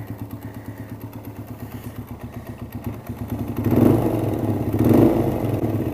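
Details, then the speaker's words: Suzuki DR single, won't idle and top speed down from 60 to 45–50, heard with the crankcase opened: rough chuffing at about three pulses a second with gusty puffing. Excessive crankcase blow-by despite the breather, like half the exhaust. "and that's even with a crankcase breather over here going into there so that's I literally got like half of the exhaust from the bike coming out of the damn crankcase and that's just all sorts not good"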